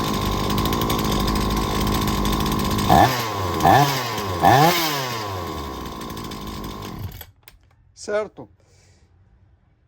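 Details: Chainsaw during ignition diagnosis; spark tester jumped 8 mm, ignition module judged excellent: three crisp throttle blips rise and fall cleanly over a steady buzz, then it shuts off. Ignition and engine healthy, normal running.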